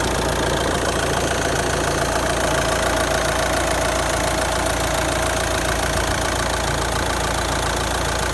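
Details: Nissan Qashqai J11 1.6 dCi 130 (R9M), 215,000 km, after injector cleaning: steady diesel idle with an uneven knocking tick, three or four a second, over the clatter; abnormal noise, cause unclear.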